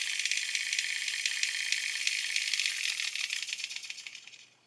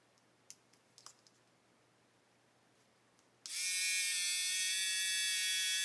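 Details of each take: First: And it sounds authentic when it stops. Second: Hachette Avro Lancaster B.III model motor tested with battery pack and circuit board: thin high whine runs about four seconds, drops out, then briefly restarts; motor stalling as its shaft binds.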